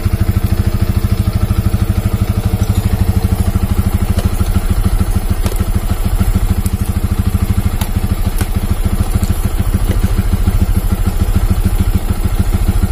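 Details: Yamaha Vixion New motorcycle, after a no-start from a worn battery, now on a loaner battery, charging normal: steady even single-cylinder idle, firm regular beat around three pulses a second, no misses or clatter; running healthy.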